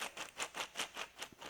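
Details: Case IH 3650 baler drive roller bearing turned by hand, grease hole clogged: gritty, crunchy rasp surging about five times a second with each push; worn, rough bearing, being replaced.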